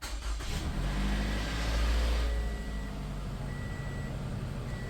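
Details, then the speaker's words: 2013-2018 Toyota RAV4 2.5 four-cylinder after new spark plugs and an oil change: deep louder churn for the first couple of seconds as oil pressure builds, then a smooth quiet idle; normal start. "was the oil building up pressure real quick. But other than that, sounds like she's pretty happy."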